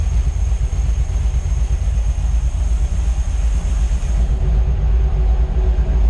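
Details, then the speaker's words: Rebuilt 1955 Chevy V8 with stock parts, warm and idled up after about seven minutes of cam break-in with good oil pressure: deep, steady, lumpy idle with no knock or ticking. The reman alternator is suspected failing (voltage loss, earlier squeak). "You know what's pretty awesome? There's no knock. Amazing when you take all your high performance shit off and put on stock stuff actually works together. All right, cams broke in. Now that's the way they're supposed to sound."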